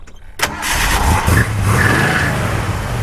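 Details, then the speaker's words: 1968 Ford Mustang 289 V8 start-up: the starter catches quickly and the engine settles into a steady, even idle with no rattles, misses or exhaust leaks. Healthy cold start. "know, sounds good, sounds nice and healthy, runs real smooth. You know, you can hear that it doesn't have any rattles or anything like that, no exhaust leaks or anything."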